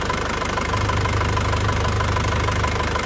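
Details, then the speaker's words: 2003 Panther Touring turbo diesel (in use from 2004), no oil leaks, no smoke from the dipstick. Steady, even clatter at idle with a low, regular beat and no misses or knocks; characteristic, smooth ("pulen") sound, normal idle. "Suara mesinnya masih sangat ciri khas, masih pulen ya, masih pulen banget."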